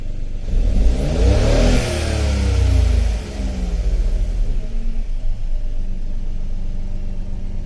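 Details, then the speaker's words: 2016 Ford Focus 1.0 EcoBoost, with turbo and wet timing belt recently replaced and running rich: revs climb then sag into choppy, uneven sputtering instead of pulling smoothly, hesitating on acceleration. "and then when you give it gas when you give it gas it bogs out not bogs out but it kind of sputters a little bit"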